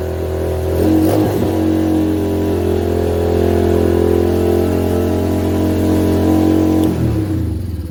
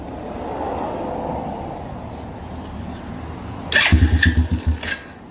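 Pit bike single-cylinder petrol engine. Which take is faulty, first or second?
first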